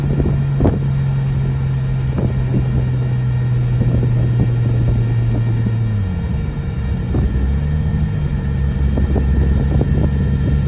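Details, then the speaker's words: Nissan RB25 NEO with a big Pulsar 7782 turbo, first drive and pulls after the engine was reinstalled, about 18-19 psi boost, tune still being adjusted. Engine drone climbs through the revs and pulls cleanly, no knocks or rattles. Healthy engine with good oil pressure; transmission reported bad. "all right good news is the motor is healthy making good oil pressure sounds good nothing sounds out of place"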